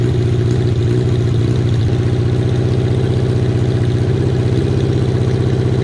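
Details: Kawasaki KZ550, carburetor just reassembled with air screw set about half a turn out, cylinder one idling poorly only at idle: loud, slightly uneven idle thump about four beats a second; air leak from a split intake boot.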